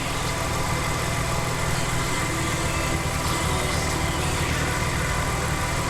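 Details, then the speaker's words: Nissan 350Z with a recurring camshaft sensor issue and a suspected parasitic battery drain, read with a BlueDriver scanner showing no codes: steady low V6 idle that begins to hunt unevenly; the car usually cuts out after 10–15 minutes. "you can already hear it kind of start to idle weird oh god no codes"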